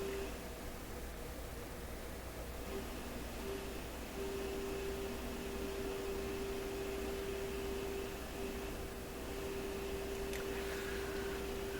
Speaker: On the messy side, wouldn't you say? Just tuning the radio right across the band here.